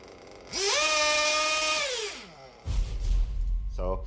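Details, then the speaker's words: 1/8 RC car nitro engine with rich low-speed needle: revs climb, hang, then sag and the idle drops off, needing work to clear the engine; low-speed needle too rich. "rich low speed needle idle goes down and it's you have to work at clearing the engine cleaning the engine and when you rev it the more you rev it the higher the revs eventually go"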